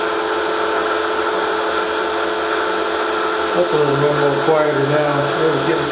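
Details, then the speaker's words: Milling a vee block from old forklift tine with carbide cutters, an angle cutter and coolant, 1 mm cut: steady cutting hum turns to rough uneven chatter partway through, louder as cuts deepen, from cheap out-of-round Chinese arbor. "he hub's they'll my cheap Chinese Arbor what you can hear it have some run out in it and as these cuts get deeper this thing gets louder because of the way the the Arbor is out of round you only have a few hit and so then it starts kind of chattering a little bit"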